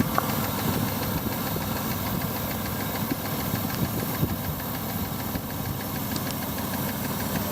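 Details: Mitsubishi Pajero after replacing rocker cover and spark plug well gaskets, plugs and oil: steady idle with light irregular tapping, loudest at driver-side rocker cover; engine knocking at idle, cause not yet found.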